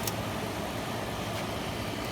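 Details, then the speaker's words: 1986 White Westinghouse 10,500 BTU air conditioner with a GE fan motor and a possibly Matsushita compressor, run off an extension cord, coil getting frost; quiet steady hum under an even fan rush, no knocking or rattle. Normal compressor operation. "guess compressor's running [Music] and i mean it's getting frost"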